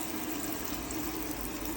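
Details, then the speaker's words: 2006 Adria Twin camper van, tap set to hot with water pump on: steady, even water rush with a faint pump hum, no coughing or spitting air, good pressure; boiler is full. "So, it's not coughing. It's not spluttering. It's not going all over the place. Got good pressure."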